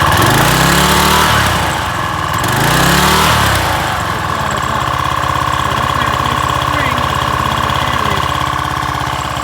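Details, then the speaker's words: Craftsman 3000 psi pressure washer, Briggs & Stratton 190cc 8.75hp Quiet Sense engine: surges up and falls back twice as throttle is worked by hand, then runs steady; governor spring missing, before replacing it. "once I replace that spring, you'll be able to see that it's working properly."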